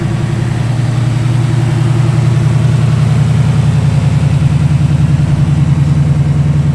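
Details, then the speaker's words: Foxbody with a 5.0 V8 swap, running after swapping injectors, stock H-pipe and no cat-back: deep, smooth burble at idle with an even, steady lope and no misses or ticks; engine running healthy. "there we are she purrs like a kitten that's with a stock h pipe on there's no cat back yet"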